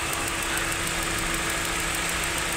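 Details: Car engine at idle: steady, quick knock of about six or seven beats a second; engine knocking, cause not confirmed.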